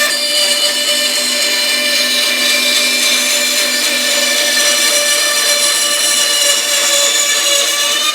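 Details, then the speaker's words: Small bandsaw with new tires and lower wheel re-secured (was loose on its shaft, wobbling): cutting a curved test line, smooth steady high whir, no thumping or pulsing; cuts normally. "I don't see if I can cut a curvy line here with these new tires and that new connection online wheel okay here we go"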